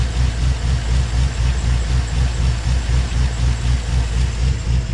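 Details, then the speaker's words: Chevy Tahoe V8 after an oil and filter change that drained chunky water-oil sludge: deep, steady idle with no ticking or knocking. Oil pressure holds at 50 and it is much quieter, silent once oil pumped. "All right, let's see how it sounds when we start it now. Oil pressure's holding at 50, and it sounds like it's a lot quieter."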